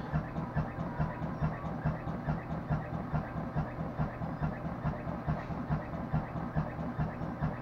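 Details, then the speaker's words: Front-load washing machine on high spin with wet clothes: heavy rhythmic thumping, about two a second, over a deep rumble as the lopsided drum wobbles; first blamed on worn bearings, actually a cracked spider arm. "When this machine gets to the high spin, you can hear the noise level increase, and that's from the drum being misaligned or lopsided. And because the drum is lopsided, with the weight of wet clothes, is causing the extreme noise vibration in this machine."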